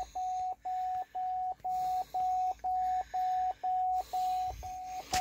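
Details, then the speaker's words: 2011 Cadillac STS Copart damaged car, first start: clean single-pitch chime repeating about once a second, eleven times, shift-to-park warning; owner suspects an unplugged shifter unit, to be fixed after parts swap. "looked at the panel and seeing what was see him oh now saying shift apart this a shift apart it's probably right here in this this unit right here this unit is not plugged in so that's why it's got another code shift the park"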